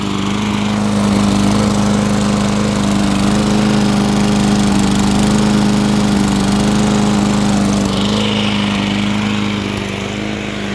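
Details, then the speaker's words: 2003 Toro Recycler push mower run with only the air filter base fitted, no filter. Steady buzzing run with a light rattle on top. Engine judged perfect; rattle suspected from the blade, not confirmed. "the engine's perfect now there's still a rattle to it but that's either a decorative blade that'll go away once i deal with that engine's good to go"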